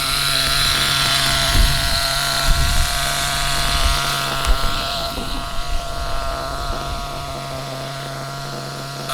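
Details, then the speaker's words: HPI Trophy Buggy 3.5 nitro RC engine in cold weather after the gear mesh was fixed: a high, steady buzzing idle under gusts of wind, with no misses or surging; running healthy. "Just listen to that purring away in the background, if you can hear it over the wind."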